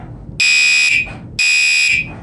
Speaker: Let's do the Gentex Commader 3. It's on high volume. I don't know why I chose high volume.